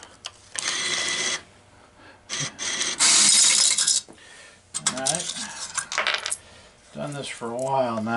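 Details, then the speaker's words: American Changer AC-400 change machine with Pyramid Apex dollar-bill validator and original Compact Hopper (800-quarter capacity) dispensing: quick bursts of metallic coin clinks into the tray with clean motor whirs between, count almost audible; normal coin dispensing. "now. It's almost to the point where I can kind of hear how many coins come out."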